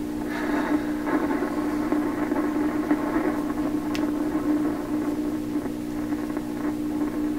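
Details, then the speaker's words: 1928 RCA Victor Model 28V radio while tuning across the dial: steady 60 Hz hum with constant pitch and crackle throughout, before pulling tubes to find the source; tube problem suspected, not confirmed. "I listen carefully, I can hear the hum is steady all the way through the tuning. No surprise."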